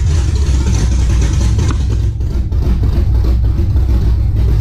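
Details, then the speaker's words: '91 Camaro Z28 with swapped 5.3L LS, Holley Sniper EFI, Texas Speed cam, open headers, warm: lumpy V8 idle hunts unevenly, needs throttle help; O2 sensor four inches from header end gives misleading AFR, running rich; rough idle. "well for some reason when the car warmed up it didn't want to idle as good so i had to help it out a little bit"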